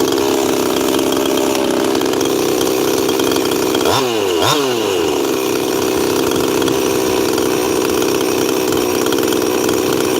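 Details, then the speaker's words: Cold 346 chainsaw not run in a while, heat cycling outdoors in chilly weather; steady high buzzing idle with sluggish throttle blips; owner says it is running pretty rich and idle settles after about five minutes. "admittedly and I haven't run that 346 in a while but I'm running it pretty rich"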